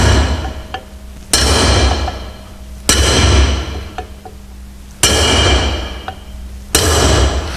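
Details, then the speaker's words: Drifting wheel studs into the original hub when fitting a new brake drum (Volvo Amazon/PV544/P1800): sharp hammer blows about every two seconds with a clear high ringing note, so the stud is not yet fully seated; seated studs give a deeper, solid note. "you can hear that still quite a sharp high-pitched note each time I hit there that has just gone home that one hasn't that one has there that's the last one"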